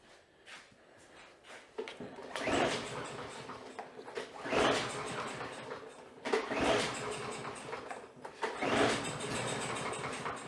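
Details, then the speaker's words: Free roadside-rescued smoky Troy-Bilt mower, lots of oil down the cylinder: repeated pull-starts, each a brief rough sputter dying within a second; starts on starting fluid then shuts off, carburetor problem identified, oil flooding suspected. "Well, we got a ton of oil down that cylinder. Let's give it another drink, just for sport, and see what happens here."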